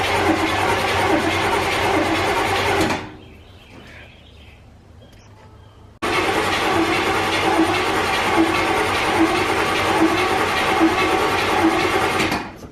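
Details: 1984 GMC Sierra C25, 454 big block, sat 19 years: starter spins about three and a half turns a second, twice, with no catch; no fuel reaches the carburetor, and the old fuel pump, holding only old gas, is likely bad.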